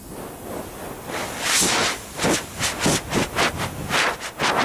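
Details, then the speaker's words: 1986 Honda Spree NQ50 scooter rear inner tube, removed: sharp airy hisses in repeated bursts as air escapes from a hole that soapy water failed to reveal but listening up close located. "so I put soapy water all over it and I still couldn't really find a leak so I put my ear up to it and where was it yeah lo and behold listen what we have here"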